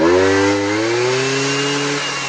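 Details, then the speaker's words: Bombardier 90 two-stroke quad, throttle snapped by hand at the carburetor with auto cable removed: crisp buzz climbs sharply in pitch, pulling cleanly into the power band; engine sounds healthy. "but listen to this thing ripped now we just going to do the old handheld crack that action"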